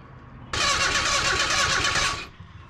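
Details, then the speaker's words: Junkyard 1977 Datsun 710 wagon with no spark from the coil, checking the points, which are opening. Starter spins the engine at a steady, even pace for about two seconds with no firing. Crank, no start, no spark; dirty connection suspected. "no spark from the coil go back in here i guess actually pay attention to our points this time"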